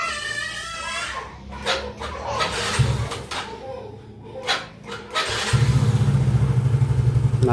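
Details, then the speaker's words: Yamaha X-Ride scooter that had no electric start, only clicking despite a good battery, after repair of the starter coil: handling noises, then the engine catches and settles into a steady, even idle putter. Normal electric start after repair. "sudah kembali nyala ya, Teman-teman. Jadi, permasalahannya ada di situ ya, ada di cool starter ya."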